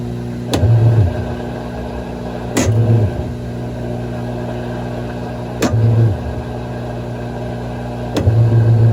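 Deep low rumble during spin with a heavy surge about every three seconds; drum bearings worn out after water got past the seal.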